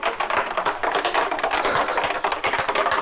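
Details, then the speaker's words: Yamaha FS1 moped, removed empty fuel tank being shaken during teardown: irregular hard clatters and knocks of a loose object rolling inside, thought to be a nut or bolt; foreign object in fuel tank. "It sounds like a nut or something, a bolt. I think this is a bolt."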